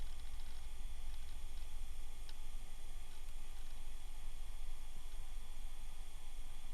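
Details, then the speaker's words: 1997 Dell Latitude CP laptop, old hard drive reading after power-up: soft irregular ticking and crunching over steady hiss; normal hard drive seek noise. "I can hear that hard drive just crunching away, though. Oh my gosh. I should clone this hard drive for him."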